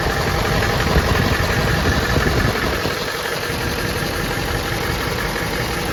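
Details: Ford F-250 Super Duty 7.3L diesel at idle just after an oil cooler rebuild (leaking gaskets replaced) and a coolant refill. Even, settled idle with a steady low rumble and no miss or tapping; healthy, no leaks, full pressure.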